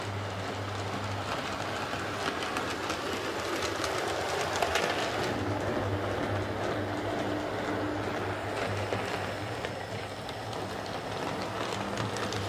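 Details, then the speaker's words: Hornby R150 Class B12 model locomotive, bought as a noisy non-runner, now refitted with a Type 7 motor: even, quiet motor hum with steady rail clicks and no gear chatter; runs nicely after the fix. "so there's mold hornby r150 running quite nicely now with with a type 7 motor"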